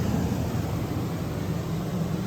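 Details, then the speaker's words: Main living-area AC unit on a 2018 Heartland Sundance 3700 RLB RV: a smooth, constant airflow roar with a low hum and no click or load change. The fan runs alone and the compressor stays off; cause not confirmed. "Okay, so you can hear it's blowing out the just whatever, room temperature air. It's not cold. And it's not clicking on to start anything else. It's not starting. So it's been a while and it hasn't clicked on."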